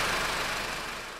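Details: Honda R18 engine at idle: thin high "zzzzz" buzz from the belt drive, intermittent and fading away; bad tensioner bearing.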